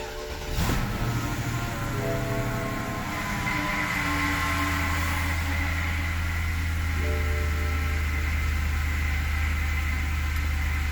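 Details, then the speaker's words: BMW E65 750i, N62B48 V8, temporary wiring, before intake manifold and fuel rail repair: engine starts but runs uneven and lumpy with a steady droning whine and unsteady beat; rough running with whine. "As you can tell not very good and there is a lot of whining noise and a lot of problems on the engine."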